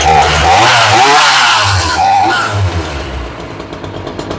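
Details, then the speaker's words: Ryobi 3818 chainsaw that sat all summer and stalled at idle, after carburetor fuel diaphragm service: the buzzy two-stroke revs high, then sags and hunts unevenly instead of holding idle. Rough idle; the carburetor needs adjusting. "he's not really idling right"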